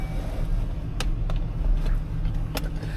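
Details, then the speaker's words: 2003 Chevrolet Silverado 1500 with about 47,859 miles fires right up: steady, low, even rumble settling into a clean idle, no knocks, misses or rough patches. "This boy started up. As you see, she fires right up. No issues there."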